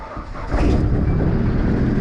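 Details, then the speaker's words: Vauxhall Zafira VXR project car with zero boost, a turbo thought to be shot and a known exhaust leak from a snapped bolt. Rough running with a loose rattly clatter up top; the owner suspects hydraulic lifters and rockers and plans to replace the lifters. "it's very rattly i'm going to be i'm going to be changing all the hydraulic lifters"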